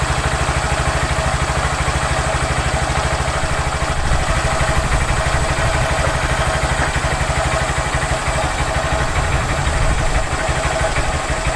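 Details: Honda Grom just after Chimera intake install: small single thumps at a steady even idle with a noticeably deeper, full intake note, no knocks or rattles; sounds healthy.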